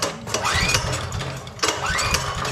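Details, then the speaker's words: Powerstroke generator, crank no start, old yellowed gas, new spark plug, fuel and choke on: two rope pulls, engine whirs over but never catches; fires on starter fluid, so fuel starvation from gummed carburetor. "nothing won't start spray a little carb clean in there or starter fluid fires right up so we know it's a fuel issue"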